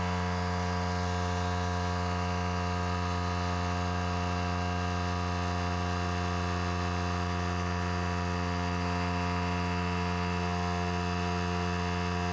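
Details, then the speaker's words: Harbor Freight Central Pneumatic pancake compressor (item 95275), over six years old, that suddenly stopped building past about 25–30 psi. Steady motor hum with a fast, even pumping pulse and no load change: it runs but doesn't build pressure. "the most this will go up to is about 25 almost 30 pounds of pressure it was working fine and then it just stopped"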